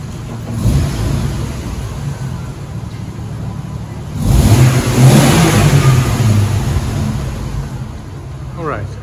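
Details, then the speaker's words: 1994 Jeep YJ driving after fuel pump fix and ECU repair fixed no-spark: engine pulls cleanly through light revs in first and second gear, not fast, rising and easing smoothly with no misfire, knock or grinding; drives pretty well. "she runs she drives pretty well i went first and second gear didn't go too fast"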